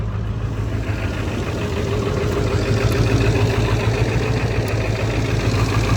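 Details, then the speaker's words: 7.3 Powerstroke diesel truck, listed as burning a lot of oil, on a cold start without glow plugs: lumpy, smoky idle dropping beats about three times a second; obviously misfiring and the fuel is full of oil, with a bad injector suspected. "so it's got a bit of a Miss to it it I don't know if it's a bad injector the fuel's full of oil I mean it's obviously misfiring"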